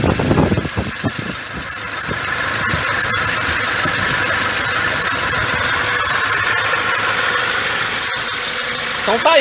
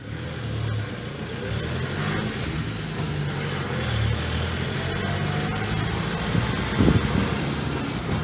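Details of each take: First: 2006 Toyota Hilux, 1KD-FTV diesel fully rebuilt after seizing, engine back from machine shop, first start: turns over, catches and settles within two seconds into steady even clatter, no knocks; clean healthy start and idle. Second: 2006 Toyota Hilux, 1KD-FTV diesel just fully rebuilt after a seized engine, on road test: faint high whistle rising and falling with throttle over road and engine rumble; turbo rotating assembly noise, turbo not touched, owner likely had it before.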